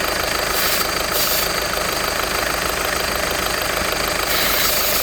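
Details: VW 1.6 TDI (Touran/Golf/Polo) diesel idling: quick, light chattering tick and hiss over the engine from a worn accessory belt tensioner pulley.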